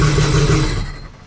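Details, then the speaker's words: Sea-Doo RXP-X race jet ski, freshly built Pro Spec engine: catches and runs with a firm, even burble before dropping away, a little smoky from assembly oil in the pistons, no leaks, normal running. "all right so it's way off it's a little smoky because you know the motor is fresh"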